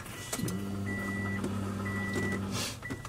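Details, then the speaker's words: 2006 Subaru WRX with fuel issues, just fitted with a new AEM in-tank fuel pump, on a cold day: at each key-on a steady low electric hum of about two seconds with a faint high whine, the new pump priming normally. "Yeah, just keep on cycling the key. Oh, listen to that pump right there."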